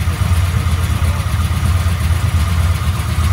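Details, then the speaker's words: 1996 LT1 383 V8 with Holley Terminator X EFI on an engine test stand, open headers and no exhaust: loud, deep, steady lope with even beat, no ticks or knocks; normal idle. "it's just yeah it's just idling man you're gonna hurt yourself well this is what an engine sounds like all engine no exhaust"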